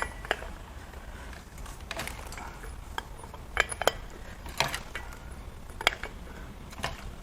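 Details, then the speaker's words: BMW N63 4.4L twin-turbo V8 during teardown, no plugs or injectors, turned by hand: irregular metallic clanks and rattles every second or so; suspected broken plastic from the oil fill, not confirmed. "I'm hearing some pretty bad sounds from the driver or passenger side here but it could be some plastic broken off from the oil fill in there"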